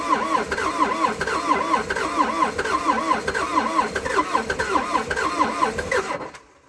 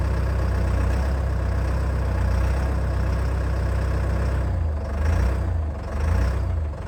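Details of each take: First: Old abandoned CAT excavator diesel, not run in months, cranking on a cold day with two new batteries and cleaned connections after earlier failed attempts: slow, labouring starter whirr rising and falling with each compression for about six seconds, never catching. Hard start. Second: Old CAT excavator diesel just started after months idle, cold day, very little runtime: deep low rumble at very low revs with slow gentle pulsing; normal cold idle, judged healthy by CAT-familiar mechanics.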